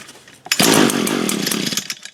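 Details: Echo trimmer brought in with a no-start, spark confirmed and primed: crisp two-stroke catches at once, buzzes high and steady over a second, then dies back; cause was a dirty/fouled spark plug.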